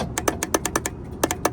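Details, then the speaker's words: EZGO gas EFI golf cart: sharp rapid clicks, about six to eight a second, but the engine never turns over; the floor micro switch works (check engine on with gas pressed). Cause suspected, not confirmed. "You can see you can see the solenoid clicking. When I hit the gas, my check engine is going off, which indicates that my mic switch in the floorboard is doing its job. All right. But nothing's turning over."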